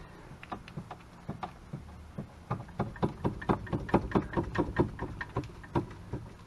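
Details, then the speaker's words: Club Car Precedent golf cart with popping noise while driving; driver-side front shock/spindle shaken by hand gives sharp loose clunks about twice a second; worn front A-arm bushings, passenger side fine. "hopefully you can hear that yeah now that's uh that's not supposed to be like that"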